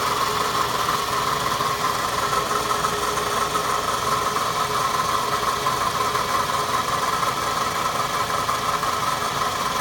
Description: Появился какой то посторонний звук. Может цепь? Натяжитель цепи? Успокоитель?